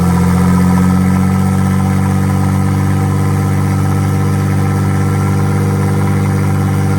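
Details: V6 RWD bi-turbo Mini engine swap, first start: a steady, even drone holds well above normal idle without dipping. The owner suspects the ECU has no memory and is relearning, possibly air leaks.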